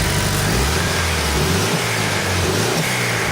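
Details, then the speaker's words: Mitsubishi Evo, turbo, with a downpipe and blow-off valve, untuned: revs climb, then a sharp airy hiss as the blow-off valve vents on throttle close, dropping back to a smooth, steady idle. "can hear the blow-off valve. And obviously after it blows off, you can hear it levels out and idles fine again."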